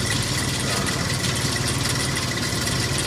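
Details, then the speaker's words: 2002 Ford Explorer SOHC 4.0 V6 at 220,920 miles, idling: fast, light metallic timing chain rattle over the steady engine note, worst on the driver's side rear. "So as you can hear, the chain starting to rattle."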